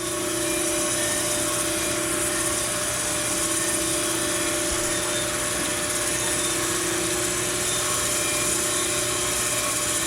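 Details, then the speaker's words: Plunge grinding a journal on a Ford 460 crankshaft: a steady rushing hum with a constant mid-pitched ring as the stone lightly touches the old journal radius on the way down to zero; this is normal. "down till we hit the zero that old radius makes it ring"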